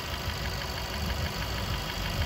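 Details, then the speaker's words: Intake manifold swirl flaps knocking, traced to the manifold: quiet idle with a light, fast, regular tapping over the low engine rumble. "короче парни нашёл Я по ходу делал причину этих стуков и действительно причина в коллекторе"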